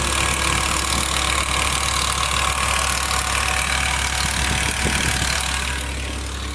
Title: E60 M5 S85 ticking noise